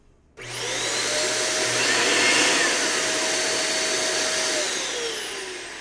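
Loud steady roar with clean whining tones that hold level until switch-off; no vibration or rattle, and the fan sounds healthy.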